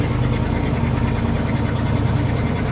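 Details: 1979 Dodge Adventurer 100SE pickup, 30 years old, 109,365 miles, just started cold after ~3 weeks unused, idling on choke: steady, even low rumble with no knocks or misses; normal cold idle.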